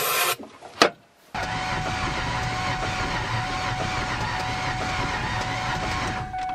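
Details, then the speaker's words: Ford Ranger winter beater cranking on starter fluid/brake cleaner sprayed into intake: steady even starter whirr, faint soft pulses, no firing; cranks but won't start, sounds low on compression, owner suspects damage from a burnout. "doesn't sound like it has any compression could be from that burnout"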